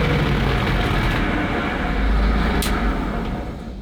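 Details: Soviet-era military vehicle with an Eastern Bloc copy of an old Chevrolet six-cylinder petrol truck engine (originally twin six-cylinder petrol engines), just started: deep, loud, steady rumble with no misses or knocks; running evenly.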